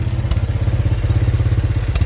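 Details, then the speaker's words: 1983 Honda 200E three-wheeler at idle just after fitting a new carburetor; even steady single-cylinder putter about eleven pulses a second, no misses or knocks, clean healthy idle though it still smokes. "Oh, listen to that. That thing is purring like a kitten."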